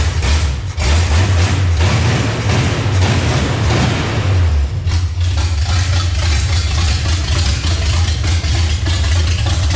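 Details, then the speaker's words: Revived 350 V8 in a C10, first start after several years of sitting, distributor advanced slightly but not yet set with a timing light: loud, lumpy, surging idle with throttle blips. Incorrect ignition timing, needs adjusting. "well it runs obviously it needs a little bit of timing work but Kim Kim sounds good it always has"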